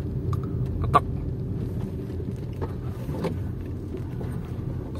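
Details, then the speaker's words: Car driving over road rumble with sharp irregular tak-tak ticks and cracks from the right front; front suspension knock. "Ada bunyinya tuh di sebelah kanan depan. Kedengeran ya, tak tak tak."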